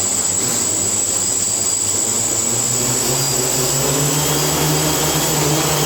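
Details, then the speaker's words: Quadcopter on a tuning stand after INAV P gain lowered from 25 toward 9; even, steady motor buzz with constant high tone, no surging or pulsing, motors no longer overcorrecting, holding a stable hover. "and so you see when I fire this up the pop start turning it no longer when when when women you can hear the motors are not trying to overcorrect"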